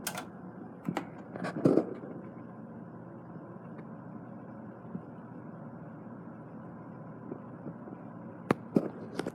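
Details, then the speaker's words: 1970s Lakewood 12-inch box fan with a Fasco motor and new bearing parts, on low speed: very quiet, steady low hum with a few handling clicks. Runs smoothly. "very quiet low speed"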